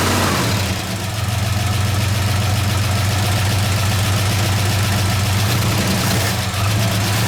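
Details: 1969 AMC Javelin 290 V8 on old fuel, after tightening three loose spark plugs and reseating a plug boot: a steady, even idle with a deep smooth burble and no stumble. The earlier jerking miss is gone; normal idle.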